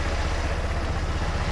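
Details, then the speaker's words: Automatic-clutch bike, not fully reassembled, needing a new exhaust: low, even, quick putter idling cleanly with steady beat and no misses or knocks. ">> Listen to it. >> Sounds so good. >> It's purring. Purring."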